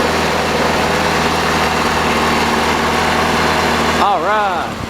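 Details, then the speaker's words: 1985 Chevy Cavalier CS station wagon at idle on restart of the project car: uneven idle with an irregular stumble and visible shaking; misfire, cause not yet found. "You can hear that misfire. Oh yeah. You can't really see it, but that thing's shaking."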